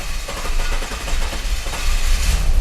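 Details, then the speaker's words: 2009–2010 Jeep Cherokee 3.7 V6 on its first key-on: a very long, uneven crank before it eventually starts, with no throttle response and no power, and it won't stay running. Hard start from a leaking intake valve causing low compression. "you can hear the car try to start it eventually it does start but not like like there's absolutely um no response on the throttle try again it's a very long crank"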